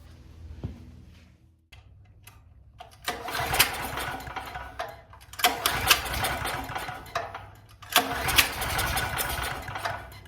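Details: Duromax XP12000EH dual-fuel 12,000 W generator, pull-started due to dead battery and suspected starter/solenoid fault: quiet ticking, a few pulls with short bursts, then catches and runs at fairly steady speed.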